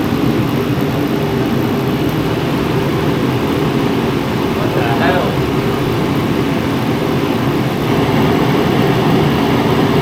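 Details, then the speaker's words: Mr. Heater Contractor Series forced-air heater, freshly lit after a 20-second purge, running on low. Steady even roar of fan and burner flame, no surging or sputtering, not very loud, blowing hot; running normally. "Blowing some decent heat right now. It's on low. It's not that loud. Yeah, that's hot."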